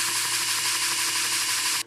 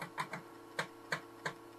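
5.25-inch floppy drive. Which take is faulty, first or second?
first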